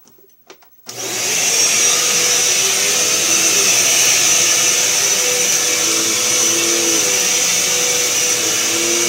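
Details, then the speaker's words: Eureka Power Plus upright vacuum after fix: brush roll freed of hair seizing its bearing and clogged hose cleared; spins up to steady high whine with even hum, no grinding or labouring; runs normally. "so it was a simple fix and the hose was clogged up and I fixed that too so we're going to run the back run it so you guys can hear it"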